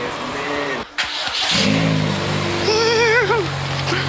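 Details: Jake's car after repairing exhaust split by a speedbump with a split flange, rusty studs removed: engine catches and revs cleanly with a deep even note, no raspy blowing or ticking; exhaust sealed and quiet.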